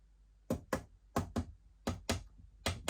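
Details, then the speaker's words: Used Linn Sondek LP12 turntable, top plate being tapped down around its edge onto the plinth: pairs of quick knocks, one small area sounding slightly hollow; top plate not fully seated there, plate also damaged. "and that sound just tells us that it's not quite seated properly at that point but we'll uh carry on around so it's just this small area which uh is not quite in complete contact with the with the plinth"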